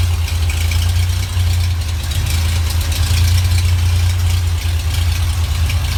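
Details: Rebuilt GMC 305 V6 on a run stand with stock GM mufflers and an expertly rebuilt carburetor: a loud, steady, deep idle with an even beat and no misses or knocks. It purrs like a kitten.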